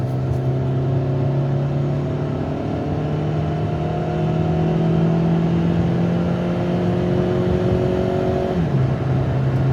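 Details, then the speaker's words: 2008 Dodge Avenger at speed after wheel bearing replacement: smooth engine drone and road noise with no growl or hum from the wheels, no clunks and no pulling; a remaining sound is suspected to be the rotor rubbing the brake pads. "there's out clunks I mean let go of the wheel here it's not pulling one way or the other you can hear that the wheel bearing sound is gone"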